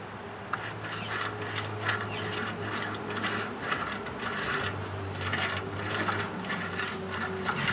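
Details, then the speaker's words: 2010-ish Craftsman mower, 19.5 hp Briggs & Stratton single-cylinder, shroud off, flywheel turned by hand: slow, uneven scraping crunch, something rubbing inside; found to be loose flywheel magnets, fixed by re-gluing. "a lot of noise in there. Almost like something's rubbing inside."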